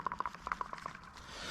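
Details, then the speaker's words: Drift Cadillac CTS-V with the control arm off during a bushing replacement, waiting for a new engine: about nine light, sharp clicks as the sway bar link is rocked by hand, showing play in a worn link due for replacement. "I found a little bit of play in this sway bar link."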